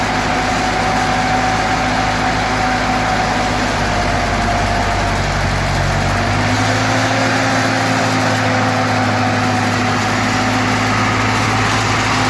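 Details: 1942 Ford 9N tractor after points work, restarted after sitting: engine runs steady and even at idle, settles into slightly different speed midway, no misses or stumbling; normal running.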